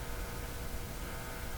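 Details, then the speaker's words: Philco 53 shortwave tube radio during RF alignment check, set to the shortwave band at 15 MHz with a signal generator: only a steady hiss with faint hum and no tone coming through; no reception. "so not hearing anything what I'm going to do is I'm going to tune the signal generator around"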